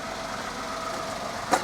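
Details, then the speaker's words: 2006 Toyota Yaris 1.0 VVTI after middle exhaust section replacement: small engine ticks over at even, quiet idle with no blowing or rasping from the exhaust; absolutely fine, no lambda sensor light. "Absolutely fine."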